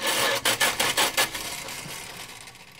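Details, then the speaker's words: 1970 Dodge Dart slant six, starter jumped directly: harsh rasping bursts fading into a rattle with no catch; starter grinding, owner suspects broken flywheel teeth. "That sounded bad. It tried firing up. What's the deal here? Sounds like teeth are broken up on that flywheel."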